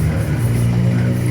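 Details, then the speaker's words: New Yamaha NMAX scooter that wouldn't start with the check engine light on, after repair: starts and idles steadily, revs blipped cleanly and it holds without stalling; normal running restored. "Tapi di sini sudah normal kembali ya, stasioner sudah aman. Tuh kita geber-geber seperti ini."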